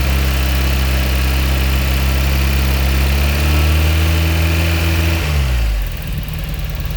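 Idle hum with a slightly uneven beat, then revs climb and drop back; the idle sounds rough, cause not evident.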